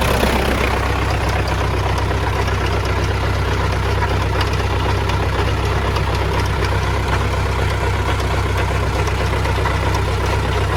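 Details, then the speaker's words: MTZ-80 tractor, first start since winter, low compression: heavy diesel idle with rough knock about four per second from the gearbox, heard when PTO is switched off; stops when engaged, cause undetermined. "щось дуже сильно калатає коли виключаю вал відбора чути якийсь звук цікавий звук дуже цікавий"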